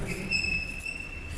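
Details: Skoda Octavia A7 (Octavia III), 34,000 km, complaint of severe squeal when braking: sharp, steady high-pitched squeal with a thin overtone holding through the stop; exhaust metal rubbing on its mount.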